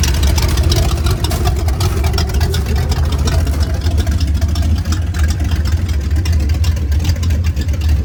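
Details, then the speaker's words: 1989 Ford Mustang GT Fox body V8 running with cats removed: shorty headers into roughly 2 ft pipes, open exhaust. A loud, deep, choppy rumble with crackly pulses and no muffling. "So like I showed in an earlier video, I have the cats out of this thing, so it's just shorty headers, and then to the pipes that go right before the catalytic converters, which are about 2 feet long. So this is what it sounds like when it's got open pipes on it."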